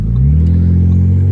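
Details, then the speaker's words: 2013 Ford Taurus SHO with a 2012 Ford Flex EcoBoost engine swapped in, first drive with no exhaust fitted: turbo audible, deep open exhaust note climbs smoothly as revs build, pulling cleanly with no misfire or rattle. "no exhaust so you can hear the turbo runs like butter it moves it's definitely not a slouch"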